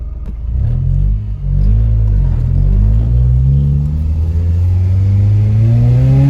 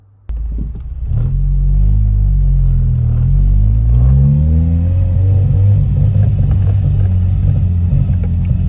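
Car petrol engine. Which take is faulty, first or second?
second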